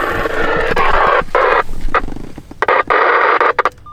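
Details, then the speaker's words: Uniden analog scanner scanning the 800 MHz band again: a harsh buzzing hiss cuts in and out in bursts between short gaps. This is digital traffic the analog scanner can't decode. "But listen to this thing, it's still going in here. Fuck, I don't know what I did. Yes, he's scanning in the 800s again."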